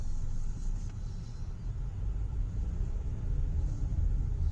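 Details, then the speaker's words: 2012 Hyundai Elantra on a road test after a misfire repair (P0301–P0303 codes); a steady low rumble with no stumbles, running and idling smoothly, misfire counters at zero, so the misfire is fixed. "Car feels really nice. It's really smooth."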